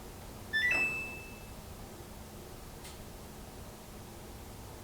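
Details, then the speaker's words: Dryer drum not turning: pressing start gives a panel beep, one faint click from the back, then silence with no motor hum or drum rotation while the timer counts down; cause is a broken drum belt, fixed by replacing the belt. "did you hear that tiny click in the back but more importantly it's not doing anything at all right"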